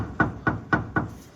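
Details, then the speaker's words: 1964 Plymouth Fury front suspension during disc brake swap: four sharp dull knocks a quarter second apart as the control arm is worked by hand; front control arm bushing blowing out, needs replacing. "need to get some new control arm bushings though I don't know if you can see that but you can hear it too bad"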